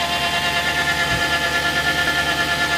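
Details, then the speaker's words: BMW M62TU V8 with all belts off: steady idle with a sustained high-pitched whine-like tone, constant with no load change, coming from inside the engine on bank 2 (driver's side left bank); not the fan, cause unknown. "Well, the sound seems to be coming from somewhere inside there. And all the belts off, started the car. Still the same sound. No idea."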